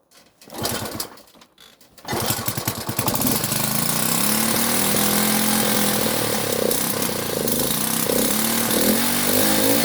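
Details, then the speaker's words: Delta moped, plug cleaned, choke flap set to middle: coughing start, then raspy, uneven two-stroke running with wavering pitch; owner hears the plug sooted again, most likely from fuel that sat for months. "Я так поняв, вона знов нагоріла. то що по звуку чути, що свічка нагоріла і погано працює."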